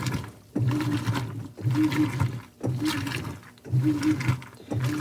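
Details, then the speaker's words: 2011 Whirlpool Cabrio Platinum top-load washer (WTW8200YW0), Fisher & Paykel direct-drive motor, no belt, bearings and basket drive cogs replaced, sheets cycle with towels: rhythmic agitation strokes about once a second, water sloshing, steady motor hum between strokes; normal agitation. "that's why these have a unique sound because it's not a belt drive. It's a direct drive Fisher and Pel motor."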